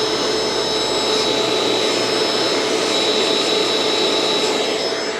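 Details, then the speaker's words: Curb-found Bissell ProHeat Essential carpet cleaner with a replacement Kenmore Intuition cord, screen broken, switched on from a power strip: steady airy roar with a constant high whine, no grinding or bearing rumble; motor running normally. "let's see what happens oh nothing's going to happen unless I turn on the power from my power strip that helps all right seems to be running fine"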